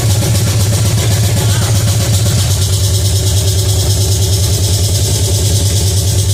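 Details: Pontiac 350 V8 in a '50 Pontiac gasser, first fire-up, timing about 8 degrees, steam from moisture: fast, steady, heavy idle that never settles down; high idle.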